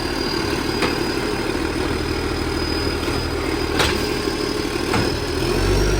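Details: 2013 West Torrens diesel garbage truck rumbling under load: a coarse, raspy exhaust note with occasional sharp bursts. Big exhaust leak.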